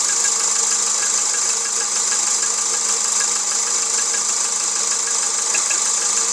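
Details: Volkswagen Jetta 1.6 engine at idle: light, thin tapping over a steady, bright-sounding idle; a persistent engine knock of unknown origin.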